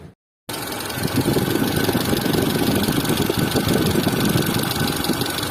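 Engine starts, then idles with a quick, uneven ticking about three times a second over the run, pointing to camshaft wear.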